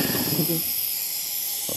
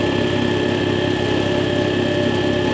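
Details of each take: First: Belt-driven air compressor before repair: steady high airy hiss bleeding from the unloader near the pressure switch base plate after shutdown; leaking check valve, not the pressure switch. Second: Air compressor after replacing the faulty check valve that caused air leaking from the unloader: steady, even pumping thump at a constant pace with no hiss or leak between strokes; running normally.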